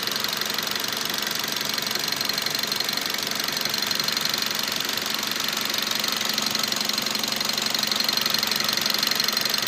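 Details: Mazda 3 with the 2.0 engine: a fast, even tapping at about three per second over a steady idle; engine knock, cause unclear.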